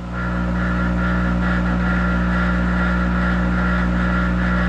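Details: Monarch 10EE lathe, warmed up, electronic variable-speed drive at about 200 rpm, spindle loaded by hand: steady low motor hum with constant whine that doesn't sag under load; speed compensation holding, normal.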